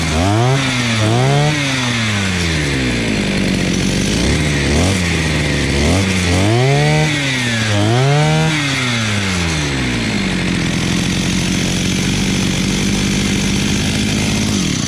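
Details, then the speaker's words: Imported 43 cc two-stroke brush cutter after carburetor adjustment (upper screw 1.5 turns, lower 2 turns, idle lowered): revs up and drops back cleanly, then holds a steady high buzz; correctly tuned, running properly. "Eu abaixei um pouco aqui para que ela não ficasse detonada. Certo? Então, agora ela está regulada direitinho,"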